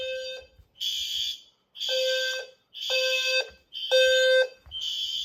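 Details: System Sensor fire alarm test (L series strobe, P2R, P2R LF, P2GRL): loud shrill horn blasts about once a second with short gaps, strobes and horns firing together; normal horn-strobe test.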